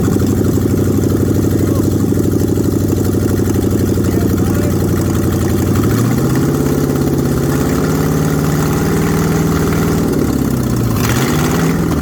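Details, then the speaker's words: Ford Mustang 302 V8 pulled from barn, float bowl filled, sticking throttle freed: deep, fairly even idle with a small pace change midway, no knocks or misses; oil pressure 50 psi, runs surprisingly well, normal idle. "We know it runs. Actually runs surprisingly well. It'll sit there and idle."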